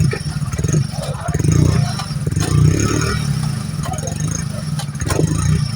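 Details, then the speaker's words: New motorcycle at 5,000 km after rear drum brake fix for squeal when braking: engine ticking over steadily and wheel turning with no squeal or chirp; rear drum now quiet. "तो देखिए दोस्तों चक्का हमने चला करर आपको दिखा दिया है आवाज कहीं से नहीं कर रहा है"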